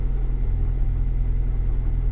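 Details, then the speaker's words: 2023 Ford Bronco 7-speed manual, cold start, 20 degrees outside, warm-up idle about 1,200 rpm, neutral with clutch released: rotational scraping, grinding noise that stops when the clutch is pressed; TSB cites 5th/6th gear synchronizer rings. "I'm going to release the clutch in neutral and listen to how it sounds hear that sound it's like a scraping noise"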